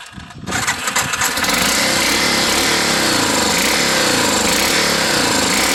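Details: Yamaha Big Bear, hard to start: catches after a rough crank and runs loud with a quick metallic tapping tock, about four per second, over the exhaust.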